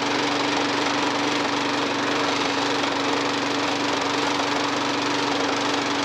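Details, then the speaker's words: Second-hand lawn mower, freshly refilled with clean oil but overfilled, oil in exhaust: steady buzzing run with faint uneven pops about twice a second; popping to burn off exhaust oil, level to be lowered. "got a bit of a pop in there as well so before i do leave that to run and burn out then the oil that's in that exhaust i will drop that uh oil level down to where it wants to be"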